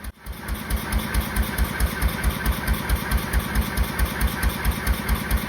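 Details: 1926/7 National 5V petrol-paraffin engine running hot on kerosene after new rings and magneto work, under load, with silencer under engine plus Lister silencer: slow, very regular low thumps about 136 a minute, no knocks or misses; clean, smooth, quiet normal running.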